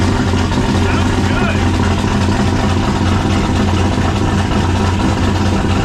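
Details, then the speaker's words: 1995 5.9 Magnum V8 with turbo in a 1951 Dodge dually, first start after a Comp Cams Xtreme Energy cam and 60 lb injectors: choppy, lumpy idle; two cylinders suspected not firing, plug wires suspected damaged. "sounds like it's a little too choppy oh i should use my temp gun but i don't have it yeah i don't think we've got all the cylinders here all right that's what there's two cylinders over there that seem like they're not firing"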